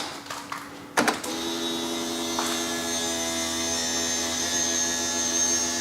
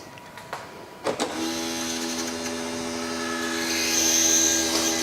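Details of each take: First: BMW 760Li V12 with a replacement boot lid hydraulic pump fitted: a click, then a steady, smooth electric whine at even pitch with no straining; boot now opens as it should; the original pump was faulty or a pre-LCI pump didn't suit the LCI tailgate. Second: BMW power tailgate (boot) after replacing the failed hydraulic pump and bleeding the air from the reservoir. On the first close test a couple of clicks lead into a steady whine that climbs slightly. Some air is likely still in the system and should bleed out; the boot closes.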